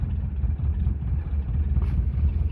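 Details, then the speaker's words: 1977 Renault LeCar (R5), cold start with fresh battery and new points, needing a little choke: low, lumpy, uneven idle with no steady beat; engine idling rough, belts not spinning properly, car also needs a clutch. "It's not idling great. Yeah, those belts are not spinning the way they should. They're working, but not really."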